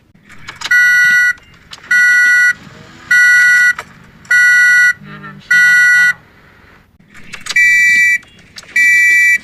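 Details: Toyota Corolla at engine start: steady two-tone beeps about once a second, seven in a row, a warning chime of unknown meaning.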